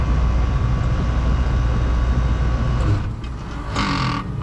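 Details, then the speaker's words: AC condenser with leaking micro-channel condenser coil and bad capacitor, compressor bumped via contactor nearly empty of refrigerant: deep rough hum straining then sagging after about three seconds; compressor judged good, low on refrigerant. "Okay, well, that doesn't sound good, but it's almost empty. So anyway, I think our compressor is good."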